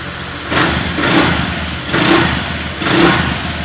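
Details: Honda Vario 125 FI after service for throttle rising by itself at intersections: engine settles into steady idle between three light throttle blips, each returning cleanly without hanging high.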